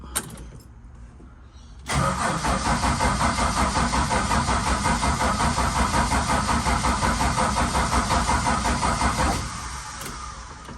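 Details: Valiant Charger VH under restoration, brought back after weeks idle, refuelled after possibly running out, throttle pumped. Long even cranking near three beats a second for over seven seconds without a firing stroke. Won't start; the pump leaks at the front. Cause unconfirmed.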